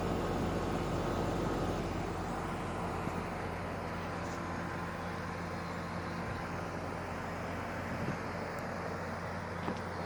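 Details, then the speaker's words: Brand-new 9,000 BTU heat pump air conditioner, outdoor compressor unit running, quiet; steady low drone with smooth even hum, no knocks, rattles or surging; normal running. "i don't know if he can hear it running but it's pretty quiet but it is on right now"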